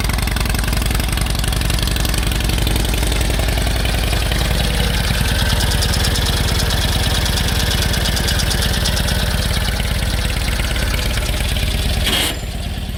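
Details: 1946 Indian Chief, original restored V-twin engine, first run after about 12 years in storage: loose, loping beat holding a steady idle for several seconds without dying or missing; runs fine.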